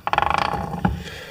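Rapid ratcheting crunch, about fifteen clicks in half a second as the gears roll by hand, then a single clunk: rounded-off differential teeth.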